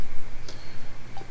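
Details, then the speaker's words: RocketBox 250HD-MOS amplifier keyed on SSB without SSB delay: two light sharp clicks over a low hum as the relay drops out and pulls in between syllables; on AM it holds steady. "you should be able to hear the relay clicking on clicking off"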